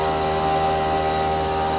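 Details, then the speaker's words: Used CNC mill bought for about 1,000 dollars without seeing it run, cutting at 85% feed with small step-over and air blowing chips off: smooth steady spindle hum with even air hiss, no chatter or squeal; normal milling cut. "nice actually looks like it's doing a really nice job like I said I think I got the step over at like three foul step over it's not a lot but it's enough it's blowing those chips right off of"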